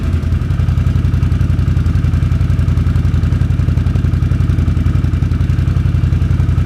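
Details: 2006 Can-Am Outlander Max 500 ATV idling after a bad battery (no ECM communication) was replaced with a new 12 V AGM battery: steady single-cylinder thump, about four beats a second, no knocks or misses; healthy normal idle.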